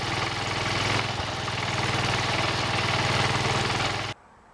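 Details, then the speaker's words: Worn single-cylinder engine on a John Deere 110 garden tractor, first start after fuel tank cleaning, idling: steady hard knock on each firing beat, suspected connecting rod knock, then shut off. "I started the engine for the first time since I've had it but I don't like that knocking noise that sounds like a rod"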